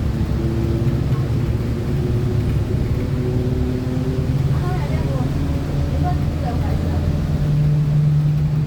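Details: 2007 Torino bus on Mercedes-Benz OF 1721 BlueTec 5 diesel, driving: a low steady howl rides over the diesel drone and rises with road speed, a loud differential whine it has constantly.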